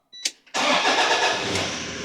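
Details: Toyota Hilux N70 1KD-FTV diesel, first start after fuel filter replacement and priming: brief starter whirr, catches at once and settles into an even idle without stumbling; clean, healthy start.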